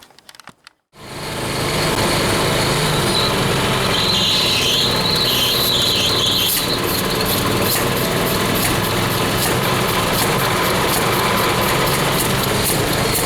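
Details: 1926 Hart-Parr 16-30 tractor, first run in over a decade after six months of work; small single catches after a short crank and settles into a quick, even putter of about four beats a second, running normally.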